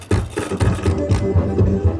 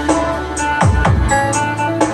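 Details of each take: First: Sakura AV-5023 amplifier before repair, relay sparking in step with the sound: harsh, crackly music at a choppy, uneven level. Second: Sakura AV-5023 amplifier after replacing the 4558 op-amp IC in the control section; it had cut out for 5–10 seconds and returned distorted: loud music with punchy bass and crisp highs, no crackle or distortion, output clean.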